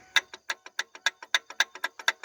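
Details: Ford Explorer belt tensioner pulley turned by hand, engine off: sharp dry clicks about six per second; rough, worn tensioner pulley bearing.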